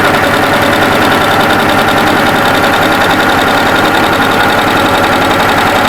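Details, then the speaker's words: Baby Lock overlocker running a one-needle three-thread rolled hem with fast, even stitching chatter and no knocks, catches or grinding; machine running smoothly. "so we're going on the front and we're using a rolled hem one needle three threads not easy to say"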